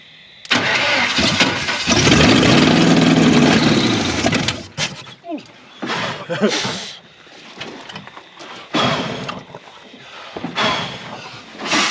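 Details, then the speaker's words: Chevy 350 V8 in a 4x4 Ford Ranchero parked 30+ years, running on wide-open headers: cranks, catches and runs loud and even through a few blips with no knock heard; healthy, good oil pressure. "an absolute disaster of a 350 and it actually runs pretty darn good it sounds good it sounds healthy it's got awesome oil pressure"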